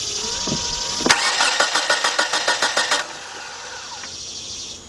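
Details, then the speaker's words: 1993 Nissan Altima that cranks but won't start, spark tester on a plug: starter spins the engine at an even, quick chug for about two seconds without firing, tester never flashes; crank no start, no spark. "all right I can see that from inside the car we got nothing at all so so far we have verified their problem"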